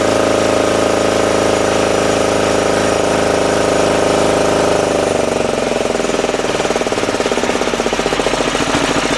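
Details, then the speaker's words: 10hp LaunTop Chinese Yanmar-clone single-cylinder diesel, hard cold start around -4°C, now warmed up after about 5 minutes of running: loud, steady, even chugging idle with a little smoke, slowing slightly toward the end; normal diesel idle. "Well, it's been running now for about 5 minutes. Uh, still a little bit of smoke on idle, of course."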